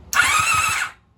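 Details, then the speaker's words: 1983 Honda Magna V65 1100 (VF1100C) on external power: a short burst of even starter cranking, about eight beats a second, turning freely without binding; starter and solenoid work, engine not seized. "Starter does turn. And I guess we're getting the engine to move. Great, that's a good sign. If the engine was seized, it would not be rotating like that."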